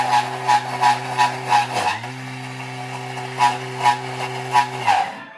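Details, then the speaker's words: Blender on speed nine grinding nuts into peanut butter for a 30-second cycle: a steady motor hum with rhythmic thumps about three a second, the pitch dipping then recovering as the paste smooths out. Normal blending load change. "you can hear by the sound in the motor that it changes things up"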